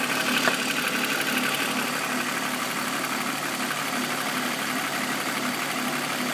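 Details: BMW M54B25 engine, warm idle: light, fairly quick tapping knock about three per second at front right of the car, appearing after warm-up; VANOS ruled out by diagnostics, owner suspects timing chain.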